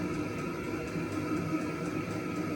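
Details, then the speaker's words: HCalory HBS1S diesel heater turned down to level 6: steady even low rush of fan and exhaust draft with faint constant tones and no fuel pump ticking, which was audible only at startup; running normally on low. "that the exhaust the the the the draft the noise of it drops down a little bit. Now, I don't know about you, but I can't hear it ticking."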